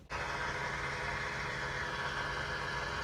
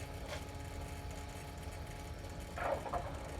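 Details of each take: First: 2018 Ford F-350 6.7L diesel, key on and engine off, priming after a fuel filter change: a steady electric lift pump whir with a rough, airy buzz while air purges from the fuel system. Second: 2018 Ford F-350 6.7L diesel, key on and engine off, after a fuel filter change and ignition cycling: a quiet, steady lift pump hum with soft clicks and no gurgle. A good stream of fuel returns to the tank, so the system is primed normally.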